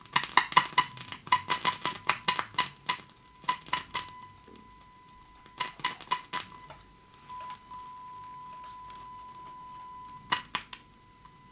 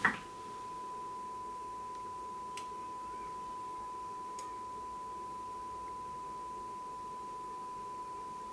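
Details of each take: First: Grundig Satellit 3400 Pro radio on battery after full electrolytic and tantalum recap, 1 kHz signal on external input; test tone drops out and returns when board is tapped, weak intermittent audio output, cold solder joints suspected. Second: Grundig Satellit 3400 Pro radio after full recap of electrolytic and tantalum capacitors, on battery, test signal injected, playing through speaker with 4-ohm dummy selected and scope monitoring: steady, pure mid-pitched tone, quite clear, no buzz or crackle; clean audio stage.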